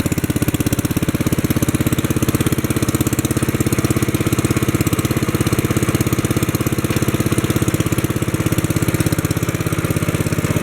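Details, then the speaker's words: 1964 Wheel Horse 704 Kohler single-cylinder after fixing rod knock from worn rod and crankshaft (crank still 0.002 in out of round): steady, even thumping, no rod knock, lifters tapping, belt flapping against guard; normal idle. "okay that sounds good there don't hear any rod noise now i can hear the lifters tapping and i can hear the belt flapping against the belt guard that sounds like normal"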